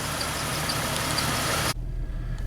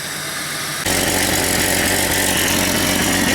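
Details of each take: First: Jeep 4.0 six-cylinder on test drive after new exhaust manifold, radiator and fan clutch: loud rushing cuts off leaving a low, steady, even engine hum with no ticking or exhaust puffing; running good and quiet. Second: Jeep 4.0 inline-six idling after exhaust manifold, radiator and fan clutch replacement: loud raspy hiss and rhythmic puffing from a pretty good exhaust leak, plus intake air sucking and strong fan noise.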